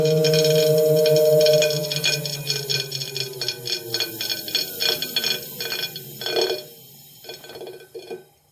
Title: TACX Neo grinding noise on disk - NO CASSETTE